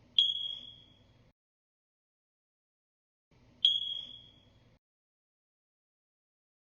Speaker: it's telling you the batteries must be replaced or your entire alarm must be replaced